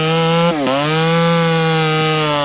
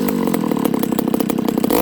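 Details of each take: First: Ported Homelite 922 chainsaw after clutch and fuel line repair and cooler heat-range plug, cutting very hard wood: loud high two-stroke wail holding steady, dipping briefly twice under load and recovering cleanly; healthy cutting. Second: Ported Homelite 922 chainsaw after clutch and fuel line fix and cooler heat-range plug, restart with idle up, no choke: quick screaming revs with a sharp thin edge, little top-end burble; high jet deliberately set slightly lean, slight loss of pull.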